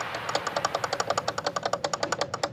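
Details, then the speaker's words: Traxxas X-Maxx RC truck transmission during gear-mesh inspection: rapid, even, ringing clatter about nine times a second; mesh is fine and sloppy, with no cracked or chipped teeth, and the noise is blamed on the powdered-metal gears. "you can see how sloppy it is but it sounds the way it does because of the powdered gears that are on here"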